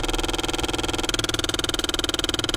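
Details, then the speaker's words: Ford C-MAX purge control valve activated by scan tool at stepped duty cycles of 40 to 90 percent, microphone held close: fast even ticking, loudest around 50–60 percent, then quieter as it stays open longer. Normal purge valve operation. "can hear the clicking it should be louder at about 50 60 percent and then you'll start getting quieter this is because at 50 60 will open and close about at the same time"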